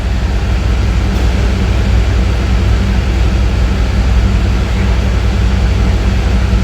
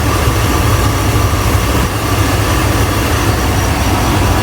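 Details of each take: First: 2001 Chevrolet Tahoe Z71, 5.3 V8 with cable throttle, check light flashing, coils already replaced: loud low idle rumble with an uneven stumble as one cylinder drops out. Codes P0200 injector control circuit and P0300; bad injector suspected. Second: 2001 Chevrolet Tahoe Z71 5.3 V8 after the misfire was traced to an injector, repaired without replacement: deep, even idle with no skips; cylinder misfire graph shows no cylinder misfiring and no service light.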